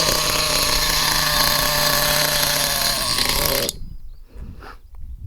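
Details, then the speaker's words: HPI Nitro Trophy Buggy, engine cold: sharp high-pitched buzz holding steady for a few seconds then cutting off; the small nitro motor runs cleanly even while cold. "It's going to be a bit cold, obviously."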